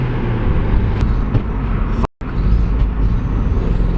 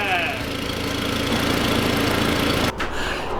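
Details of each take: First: Modified Audi TT after a Lambda sensor change: loud, raspy engine note with a rough puffing edge from a bad exhaust leak near the turbo; owner fears a cracked manifold. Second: Modified Audi TT petrol engine after replacing spark plugs and coil packs, idling smoothly and evenly with no misfire.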